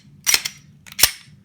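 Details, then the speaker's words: Glock 22 dry-fire after factory warranty service (trigger previously armorer-modified, feeding jam): two sharp, clean, crisp trigger clicks with none of the rattle and vibration it had after about five years of shooting; normal trigger click. "when I will pull the trigger and try fire it there will be a little bit of a rattling and vibration right now listen to this nice and crispy can't wait to take this thing to the range and test it out"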